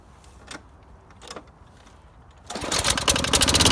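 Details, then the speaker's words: Toro GTS Recycler mower after head gasket replacement, gas of unknown age, possible carburetor problem: quiet at first, then catches and settles into an even rapid bark with no puffing from the head gasket; normal running. "well it did start up and run now and now we no longer have a head gasket problem because it's not puffing out through the thing"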